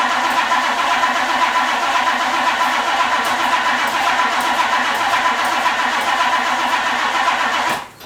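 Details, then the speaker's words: 1962 Ford Thunderbird Landau 390 V8, sat several years, fuel line flowing: strong, even cranking about four turns a second that never catches before stopping; crank no start, blamed on failed fuel pump, replaced next. "You saw I got a good crank. I got a good crank out of that, and it just wouldn't start."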